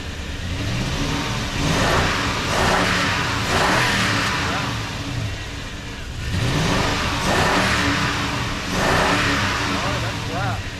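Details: Toyota Tundra after replacing the blown main EFI fuse from an incorrect jump start and fuel pump work: engine starts right up with plenty of fuel pressure and revs cleanly in smooth swells, no misfire or stumble; normal revving.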